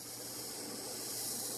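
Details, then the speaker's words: Mondial CM-15 amplified speaker with nothing playing and volume at minimum: steady bright hiss with faint low hum; owner suspects poor grounding of the internal circuit causing interference. "O aterramento, né, do circuito interno dessa caixa aqui da Mondial não é muito eficiente. Mesmo que não esteja executando nada e o volume lá atrás está no mínimo, ainda há essa interferência."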